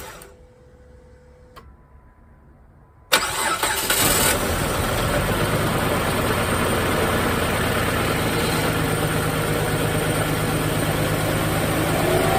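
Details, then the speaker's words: Chrysler Sebring 2.7L V6 after a blown head gasket repair, with the intake and valve cover rechecked: it cranks, catches and idles with the metal-on-metal noise gone, running slightly rough after sitting 2.5 years. "Okay, that noise, metal on metal noise, is completely gone. Praise the Lord. She is running a little rough, but it's been sitting here for 2.5 years wide open."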